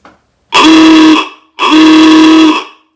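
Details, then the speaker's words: 1926 Oakland under restoration, after wiring schematic verified by back-feeding wires: two loud, buzzy horn blasts of about a second each, steady pitch; horn now working. "got a horn working not quite a model a horn but still sounds pretty cool so yep very good"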